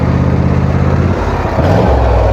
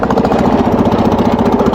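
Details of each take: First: Wheel Horse tractor small single-cylinder engine at full throttle with blades engaged, running normally again after earlier strange noise, no known fix; steady even beat with no misses, then winds down. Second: Wheel Horse single-cylinder engine under load: fast, hard, uneven clatter, running rough and mechanically unhealthy, and it got much worse before the machine was parked. A broken point/condenser connector and the spark plug popping out of the head were later found.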